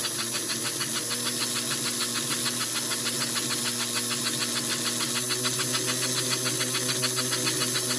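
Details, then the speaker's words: American Flyer 312 steam locomotive running one direction after new smoke unit switch, bushings and tender insulator: steady hissing puffs about 3.5 per second, motor hum dropping slightly as smoke switched on; works great. "Well, actually, and then once I switch the switch on, works great."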